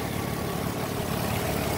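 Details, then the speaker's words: 2007 Nissan Altima SE 3.5 V6, called automatic although listed as a 6-speed manual, running in the car before dismantling: a steady, even idle with a smooth low hum and no knocks, ticks or misses. The engine is healthy. "Here's your 3.5 automatic, you can hear it running."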